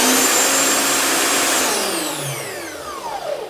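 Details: Bosch ARM 37 electric lawn mower drive motor after replacing the worn ball bearing, tested before final assembly: smooth, steady high whine, then an even spin-down with no grinding or rattle. Runs normally.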